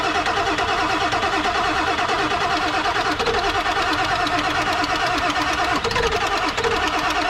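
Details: Non-running 1997 Ford F250 4x4 with 7.3L Powerstroke diesel, being revived: steady fast starter churning about three turns a second, no firing; cranks but won't start, cause unconfirmed (high-pressure oil in doubt, possible leak at petcock valve noted).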